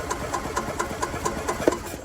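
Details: 2001 Club Car DS gas golf cart, sat about 10 years, fresh gas: even cranking at about four compression beats a second, never catches; no spark at the plug because the RPM limiter grounds the ignition coil.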